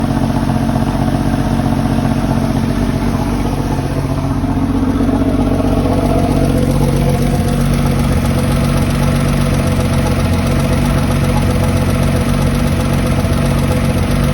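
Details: Porsche 993 air-cooled flat-six at steady idle: faint, fairly regular light ticking over the low drone, suspected lifter tick, not confirmed.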